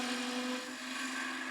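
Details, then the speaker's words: Slight chatter of a side-held gouge cutting wood on a lathe at about 1,600 rpm: hissing cut over a steady low buzz. "You can hear it chattering just a little bit. And if you get on the up slope just like that, you're going to get a little mini catch."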